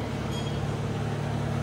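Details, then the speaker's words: Suzuki Samurai after installing a Zuks Offroad 15-gallon fuel tank, with about a gallon of gas. Steady, even low idle rumble with no fuel pump whine audible; the engine runs healthy. "but right off the bat I cannot hear that fuel pump that's awesome"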